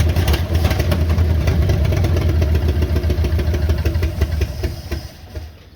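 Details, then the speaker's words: 1972 GMC pickup, worn 350 small-block V8, barn find just fired up on leftover carburetor bowl fuel: catches and runs loud and lumpy with uneven clatter; smokes heavily, no oil pressure at all, worn engine with low compression. "it's a 1972 GMC pickup truck and it's Rusty she's Rusty she smokes she's got no oil pressure at all but one thing about her she's pretty reliable for for what she is"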